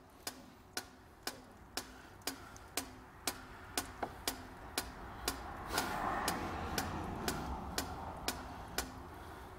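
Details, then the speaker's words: 2006 Vauxhall Vivaro EGR valve cycled open and closed by an activator tool during its 90-second cleaning cycle: crisp, even clicks about twice a second; valve moves freely, test ends green, EGR valve good. "so this is actually just knocking off the carbon it's open and closed"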